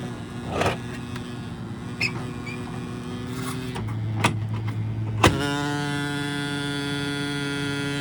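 A few clunks, then a loud steady buzzing hum with a whiny edge sets in and holds; abnormal unit hum, cause unclear.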